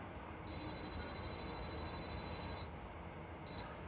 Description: Frigidaire washing machine keeps beeping.